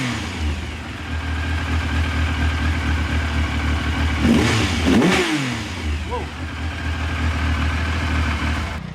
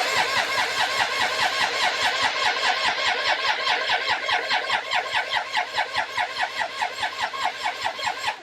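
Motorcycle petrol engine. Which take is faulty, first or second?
second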